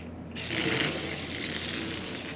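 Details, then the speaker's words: Marx 999 motor, unmoved for decades, after oil on the bearings and silicone spray into the armature: high, slightly uneven whir with faint scratchy ticking as oxide breaks loose and the motor begins to run. "once you get these things running it will usually bust all of the oxide loose"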